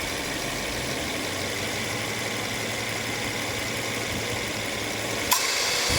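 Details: Subaru XV 2.0i AC after repair of a noisy compressor: compressor oil replaced, clutch set renewed, condenser cleaned, drier replaced. Even idle hum and steady hiss, sharp clutch click as the compressor cycles normally, quieter than before.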